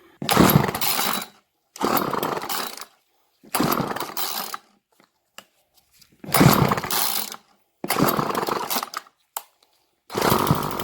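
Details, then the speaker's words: Garage-sale Craftsman 2-stroke string trimmer, model 358.797270, after carb needles were set about one turn out: crisp snarl in repeated throttle bursts that return cleanly to idle, with no stumbling. It ran about 15 minutes between wide open and idle and restarts on the first pull; normal running. "most you set up back running maybe 15 minutes between wide open and idle but she restarting on the first pull it can't beat a two dollar weed wacker"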